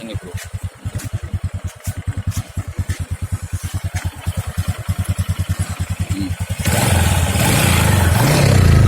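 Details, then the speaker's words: Honda Supra X 125 single-cylinder after a piston-knock fix, with valve seals and oil replaced but the piston rings and worn piston kept: even putter at about three beats a second, then a clean rev; no knock, no exhaust smoke. "nggak ada suara apa namanya suara penyakit lagi diketahui kemudian knalpot nya juga bagus tidak Berasap"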